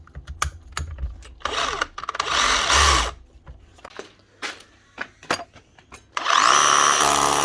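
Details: DeWalt DCH333 54V/60V SDS hammer drill: drills and hammers fine, but the chuck slips when pulling the bit out of the hole; short bursts of rough grinding whirr between clunks under load from worn gearbox crown gear teeth.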